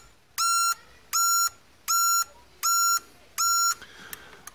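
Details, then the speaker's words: Trailer wiring redone and tested with indicators on: five even flasher clicks at a steady rate of about eighty per minute; the indicator relays cycle normally and the wiring works properly. "I'll go test the brakes well you let me know what you hear an indicator you can hear the relays clicking"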